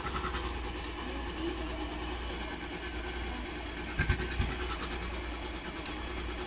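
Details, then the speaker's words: Motorcycle engine previously run dry of oil, refilled; earlier ticking now mostly gone after work, screw not yet refitted: steady idle with even low beat and only a faint light tick in background; normal idle. "hindi na siya maingay, di ba? Narinig niyo ba? Pakinggan natin ulit Medyo nawala. Di ba? Medyo nawala ang ingay niya."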